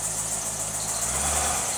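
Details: Chevrolet C5 Corvette with old fuel, idling in reverse with wheels turning during a first test after sitting: smooth, even idle with steady hiss up high, no knocks or grinding; transmission and driveline working normally.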